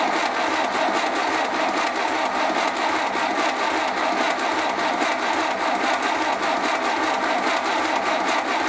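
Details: 1931 British Dodge Brothers UF-10 van engine, first start after restoration, oil system primed, fuel pump filling, timing set by eye: steady chug about once a second while cranking, not yet firing.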